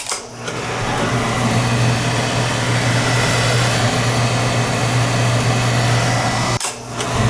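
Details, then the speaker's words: Large Weil-McLain oil boiler after service with a new 1 gallon nozzle, clean burner head and good over-fire draft: a steady low hum and even roar with no surging, firing so quietly it is barely heard; normal burner firing. "Barely even hear it running. Didn't even think it was firing. It was running so quiet."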